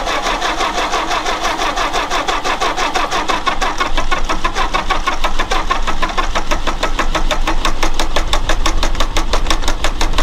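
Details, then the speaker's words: Old car being readied for a road trip, cranking: steady, uneven starter chuffing for ten seconds that never catches, despite fuel reaching it. It cranks but won't start, and the owner suspects it is out of time or not at TDC on cylinder one. "Something's wrong. It's either out of time or something. Something is very, very wrong."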